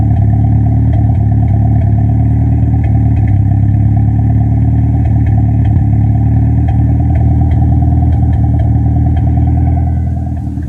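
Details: Toyota ST205 engine: deep uneven rumble with irregular stumbles and clattery pops breaking up the beat as it revs; engine misfire.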